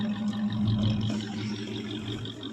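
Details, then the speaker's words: 1984 Chevrolet Suburban 4x4, off the road about three years, after a last rev with mouse nest blowing out of the exhaust. A deep, steady low rumble with an even beat and no knocks or ticks; normal running. "still got exha still got Mouse Nest coming out of the exhaust that don't sound bad"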